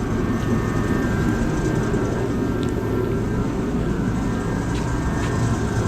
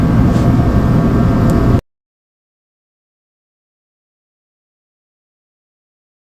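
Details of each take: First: USI combo vending machine model 3155 after replacing the compressor start capacitor: steady even low hum, no more start attempts, compressor running normally and cooling. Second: USI combo vending machine model 3155: the compressor tries to start but won't, giving a loud, steady low buzzing hum without catching; the start capacitor was bad, and after replacing it the compressor started and ran.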